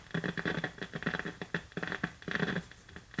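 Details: 1951 Northern Electric Baby Champ tube radio, tubes lit on a current-limited variac supply: irregular scratchy crackles and pops with no station.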